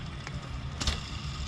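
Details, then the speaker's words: 1994 Jeep Grand Cherokee 5.2L Magnum, about 136k miles, belt removed, serpentine belt tensioner pulley spun by hand: gritty, rough rumble with light clicks from a worn bearing, unlike a quiet good pulley. "Just checking the pulleys here. It's time for a new bearing on this tensioner. Hear that?"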